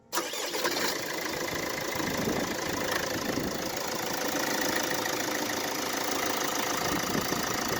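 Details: Mercedes Vito W639 OM646 diesel, cold start: rapid uneven tapping over the idle and a thin squeal; something clearly loose, traced to the AC compressor mounting, exact source not pinned down.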